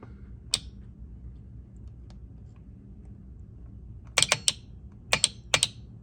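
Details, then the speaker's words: Golf cart starter solenoid activated by touching the trigger wire, voltmeter across it: a few sharp dry clicks in small clusters; intermittent engagement, works one time and not the next, causing intermittent starting; solenoid is bad. "you can hear it clicking all right so what you want to do take your voltmeter put it here put it here like this"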